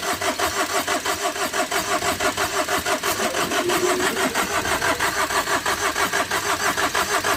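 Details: Overheated Tata Vista, radiator hose knocked off in an underside impact, cranked with battery connected: starter churns evenly about three compression pulses a second, never fires; heavy gas and smoke escape, owner suspects something has burst.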